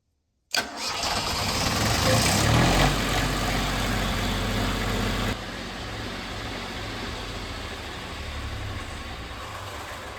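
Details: Kubota diesel generator starting after a fuel shutoff fix, set to auto: a brief crank, then it catches cleanly and settles into a steady, even idle. Normal start.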